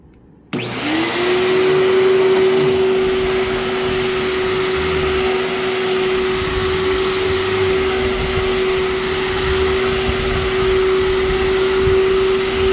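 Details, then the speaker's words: Vacuum cleaner with a brush roll that seems recently replaced: steady motor roar with even mid-pitched whine, no burning smell; the brush roll belt is super loose and slips really bad. "thankfully this one doesn't have any belt burning smell it just slips really bad"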